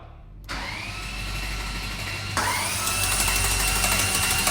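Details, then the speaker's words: Ferrari F430 at its first start after an engine and gearbox rebuild: harsh cranking with a dry metallic clatter that rises as it catches; there is no oil pressure yet, and the bearings sound like they are chattering. "the engine sounded terrible again stop very very rattly I don't like that no I've got no pressure here no oil pressure"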